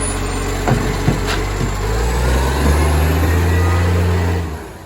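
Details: Moreland garbage truck #FN11487, a spare 22m flat-faced Acco-cab diesel with a massive exhaust leak, recorded from the exhaust side: very loud, deep roar with a coarse rumble swelling under load, then dropping away.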